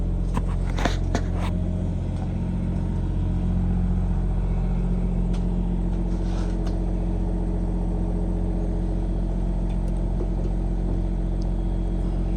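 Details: 2018 Hustler Raptor SD mower, Kawasaki FR691V V-twin, first start after head gasket and valve seal replacement for smoking, shroud off, some choke: steady, even V-twin drone at constant speed, no knocks or misses; runs healthy.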